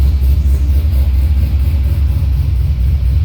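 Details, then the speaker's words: C6 Corvette Z06 with Akrapovic catback, cold start on chilly morning, exhaust flaps open: deep lumpy idle with uneven rising and falling throb, car vibrating constantly; owner suspects bad plug or wire. "as you can see here i mean it's almost you get nauseous riding around in it because it's just vibrating around back and forth all the time"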